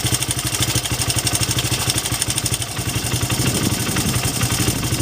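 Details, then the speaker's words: 2006 Honda CRF80F four-stroke idling, as bought before adjustment: rattly top-end clatter from a badly adjusted cam chain tensioner, which owner had thought was piston slap; small tensioner adjustment made it sound smooth; top-end clatter. "I just wanted to show you real quick a lot of that noise is right here and there's a uh adjuster right here this is a locking nut"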